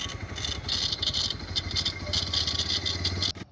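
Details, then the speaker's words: New Bajaj Pulsar 125 (2026, 125cc DTS-i), barely used, noise began third day: sharp irregular metallic clatter coming and going over engine note right at startup (self or kick), stops on its own; source not identified. "ये देखिए ये आवाज आ रही है। अब ये इस तरीके की आवाज है कि ये हर टाइम नहीं आती। यह कभी-कभी बीच-बीच में आने लगती है और कभी-कभी अपने आप से बंद हो जाती है।"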